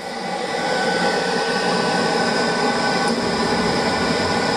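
Steady, even roar with a constant fan hiss and no pulsing or rumble; the burner is firing smoothly.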